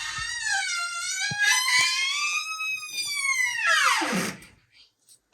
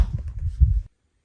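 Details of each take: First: Bedroom door with dry hinge pins, heard before the fix, with black graphite-powder staining from an earlier wrong fix: a long, high wavering squeal as the door swings, sliding down in pitch as it stops; white lithium grease is the intended fix. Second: Door swings after all three hinge pins were greased with white lithium grease instead of graphite: only soft low thumps, no squeak or creak, the door now fully quiet.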